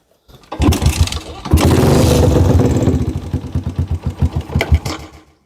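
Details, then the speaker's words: Yamaha Jupiter MX motorcycle that would not start, after replacing the vacuum hose: engine catches, is revved hard a few times, then runs evenly and crisply; now starts and runs normally. "E motornya bisa hidup ya, Teman-teman. Motornya sudah bisa hidup."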